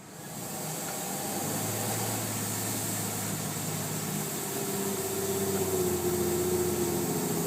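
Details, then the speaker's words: 2001 Chevy Blazer 4.3 Vortec, misfire cured by new spider injector after plugs, wires, cap and rotor were changed; fuel filter replaced, cat removed. Idles about 500–525 rpm, but on throttle the note sags and bogs around 1500–2000 rpm, cause unknown. "no more misfire starts good idoling at about 500 525 but see when I go press the gas it wants to bog out at 1500 RPM"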